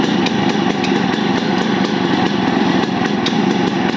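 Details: Yamaha RX100 two-stroke idling with a sharp tick about four times a second riding over the exhaust; engine ticking noise, source not identified.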